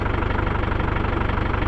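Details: 1996 Land Rover Discovery 1 300Tdi diesel, neglected but runs and drives, oil leak noted: even diesel clatter with regular low thumps at a steady idle, no misses or irregular knocks; healthy normal idle.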